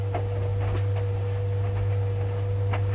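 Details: White Knight tumble dryer after a new drive motor was fitted, running with a laundry load. A steady, even, low motor hum with soft tumbling thumps; it runs smoothly and normally.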